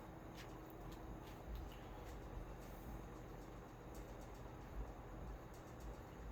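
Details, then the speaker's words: Mid-1960s Hunter-made 20" Zephair box fan, running after new cord and replaced dry-rotted motor leads: steady airy rush with slight startup whine and faint grille ticks, otherwise a quiet, smooth-running fan. "fans got that characteristic on your startup wine to it grills right a little bit but otherwise pretty quite fan"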